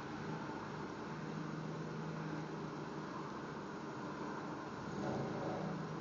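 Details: Volkswagen Jetta 1.8T idling with a steady airy hiss and faint low hum, no knock; vacuum leak suspected, unconfirmed.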